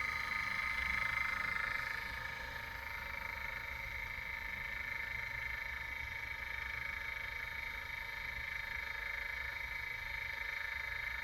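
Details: New Anova Pro sous vide circulator running: steady loud clicking about three a second over a faint motor hum; steel sleeve locked and heating elements look aligned, owner suspects a common defect and is getting a replacement.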